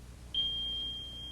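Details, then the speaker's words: AT&T System 8000 security central controller: a single steady high-pitched continuous tone, the smoke alarm signal. "and now let's listen to the different sounds for different alarms the smoke alarm sounds like"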